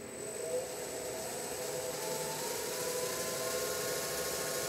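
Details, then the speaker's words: DIY CNC mill spindle driven by a new Marathon Y551 motor and DURApulse GS20 VFD, turning clockwise at about 15% of maximum speed: smooth steady whir with a faint high drive whine and no knocks or rubbing; normal low-speed running. "we can increase this value to get rotations it's about 15 percent of the maximum speed"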